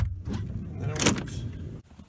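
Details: 2017 Kia Sedona left driver-side sliding door: short labouring actuator motor whir with rattling clicks as the door binds and the latch won't release; sliding door actuator failure, replaced with part 81440-A9511.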